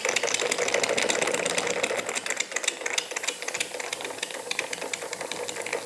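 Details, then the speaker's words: Jensen Model 25 toy steam engine on first run under steam, fast, light, uneven ticking knock of about three per second over the steam hiss; knock from the crank main bearing, not the conrods or eccentric linkage; quieter in reverse. "so cut a bit of a knock it's coming from the main bearing on the crank it is not coming from any of The Conrads or The Eccentric linkage as I thought"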